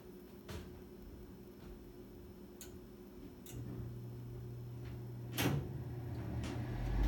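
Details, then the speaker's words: 2009 Amana 95 IIQ two-stage variable-speed gas furnace, first-stage startup: a few soft igniter clicks in a quiet room, then a low steady hum as the burner comes on; normal igniter click at startup. "Hear that click? That should be the igniter. Yep, it's coming right on."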